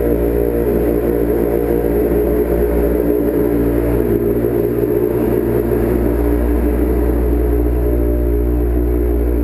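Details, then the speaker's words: Street bike after starter rebuild (owner's starter had failed when hot), started with a little choke in winter: steady, even exhaust drone with a low throb and no misses or rattles; normal running. "Give it a little bit of choke. See what happens, and you can hear my exhaust. Well, there you go. The beauty is ready to ride."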